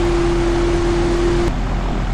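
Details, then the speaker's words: Gyrocopter on the runway before takeoff at 2000 engine rpm, prerotator engaged: steady high squeal over the engine drone for about a second and a half, then cuts off; normal belt slip from engine-rotor speed difference until synchronised. "is connecting the engine to the rotor via a belt, which is what you can hear squeaking right now due to the difference between the engine and rotor speeds."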